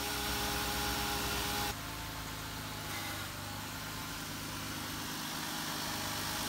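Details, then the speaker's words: Jeep Wrangler JK (JKU) after power steering pump and pulley replacement, refilled with ATF+4, first start: even idle, pitch dipping briefly as the wheel is turned, no whine or groan from the new pump; sounds great, normal idle. "It's all spinning and running, and that sounds great."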